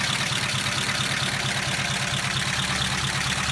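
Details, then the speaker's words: 1953 Pontiac Chieftain eight-cylinder, warm idle outside the garage: steady, smooth running with a faint, even lifter tick on top, which the owner calls common for these engines; some smoke suggesting blow-by was seen; normal idle. "Engine is running. You can hear that it's running pretty smoothly. When you evaluate the engine like this, you just listen for unusual noises. What you hear there, clicking noise, it's a work press."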